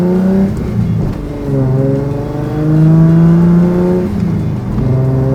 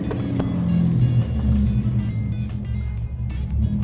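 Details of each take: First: Datsun 280Z race car on a road test after fixes, warm at 165° with 90° air temperature and not overheating: engine pulls cleanly through rising and falling revs with an even tone and no misses, knocks or rattles; running healthy. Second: Datsun 280Z restarted after a drive following recent fixes. Right after the over-rev flare, revs sag into a slow, lumpy, uneven, near-stalling idle, described as dangerously low. This is a recurring problem the owner had earlier.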